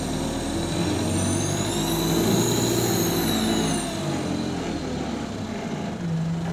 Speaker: when the driver presses the thr to the max the pitch of the turbo will be so high from it's a it's a bit higher than the Euro 5's turbo leak